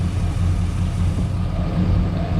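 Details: Low, lumpy, uneven idle: the cylinder 4 misfire persists despite verified good spark and fuel, a multi-day misfire mystery with the cause unknown.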